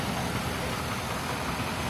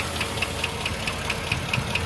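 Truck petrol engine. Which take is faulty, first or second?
second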